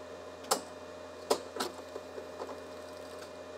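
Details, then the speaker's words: Mystery data recorder power-cycled with a VHS tape jammed, eject and rewind not working: scattered sharp clunks and clicks at uneven intervals over faint hum as the transport struggles; owner fears it is chewing the tape. "I saw the thing move oh that didn't sound good at all it was making weird noises clunky noises things like that"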